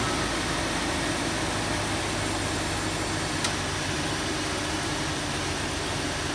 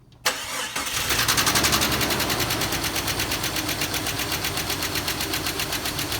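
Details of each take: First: 2001 Jeep Cherokee XJ cold start about a week after adding Engine Restore for a cold-start tick, suspected lifter: steady even idle, knocks maybe once at startup then gone; about 72°F ambient. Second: 2001 Jeep Cherokee XJ on a cold start: a fast, light tick of about four per second in time with idle that fades as oil comes up; owner suspects a rear lifter. Recorded before adding Engine Restore.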